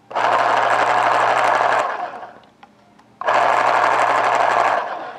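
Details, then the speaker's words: Panasonic electric pencil sharpener, made in Japan, motor run: two loud, even buzzing runs with steady low hum like a muscle car exhaust, starting and stopping cleanly; normal motor run. "certainly got that all American I know it was made in Japan but certainly got that good muscle car loud exhaust you know good American Muscle kind of sound"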